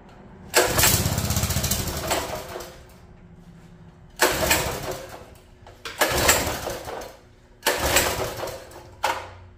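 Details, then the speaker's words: Free mini bike, sat an unknown time and probably cold: repeated pull-start bursts that spin briefly and die without catching, not getting fuel; water was found in the carburetor float bowl. "she wants to just not getting any fuel in there"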